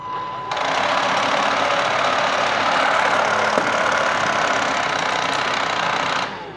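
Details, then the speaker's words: Bosch Series 2 cordless stick vacuum, just disassembled and cleaned: high whooshing motor with light rhythmic clicking about four a second when the brush head is attached, persisting after the brush is pulled; owner suspects the motor. "You hear that clicking? So, pull the brush out, right? And turn it back on again. Still clicking. So, there's something going on. Something going on with this motor."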